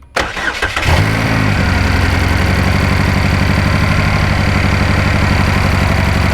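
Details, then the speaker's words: 2012 GMC Terrain 2.4L EcoTec after timing chain and balance chain replacement for chain-wear noise: catches after a brief crank and idles with a stumbling, uneven beat; a misfire appeared although it ran fine on the first start-up. "So oddly enough, the engine now has a misfire. Ran perfectly fine on the first fire up."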